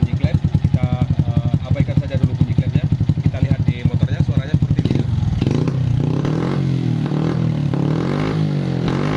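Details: Honda Supra X 125 at idle then revving, uneven stumbling beat and rough spluttering that never smooths out (brebet), lacking power; spark plug replaced and carburetor cleaned already; misfire from retarded cam timing (cam top shifted).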